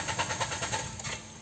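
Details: Peugeot 206 CC running on E85 ethanol, after new spark plugs and fuel filter, fuel pump heard priming: quick even cranking beats, about eight a second, fade without catching. Cranks but won't start.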